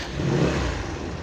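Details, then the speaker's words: AXXO Viper 180cc scooter at idle after maintenance, with a new exhaust gasket and other parts fitted. A steady low exhaust burble with no knocks, ticks or rattles, so the engine is normal. "mi motor está realmente no presenta ningún extraño"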